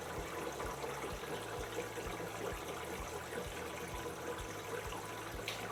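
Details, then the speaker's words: Panasonic NA16-VX1 inverter washer (7kg, 1600 spin, 2009) has detected a small load and is filling through the main detergent compartment. A soft steady trickle of water with faint low thumps over a quiet machine; normal fill. "is now doing is filling up water through the main washing detergent compartments adding the detergent"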